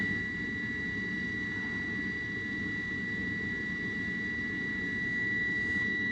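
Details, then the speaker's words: HVAC unit on a no-heat call, exhaust blowing cold air: the running furnace inducer motor, with sealed bearings and no oil ports, gives a steady high whine over a gravelly rumble. Worn inducer bearings, inducer to be replaced. "But that definitely doesn't sound good. That sounds like bad bearings on that inducer."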